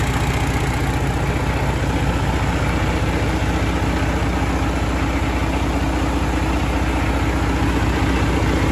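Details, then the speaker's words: FPT Cursor 16 1000hp marine inline six 15.9L common-rail diesel idling at 600 rpm before a rev: deep, even diesel beat, steady with no knocks or uneven pulses; healthy normal running. "right i'll give it a rev so you can have a listen he's running the life is at 600 rpm with the curse 16."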